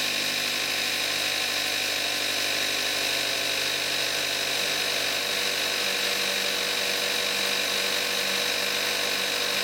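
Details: 2014 Kia Forte5 2.0 GDI, 41,000 miles, synthetic Amsoil 5W-30, cold start in May 2017, recorded on the camcorder's built-in mic: smooth, even idle with light, fast injector ticking over a steady hum; normal.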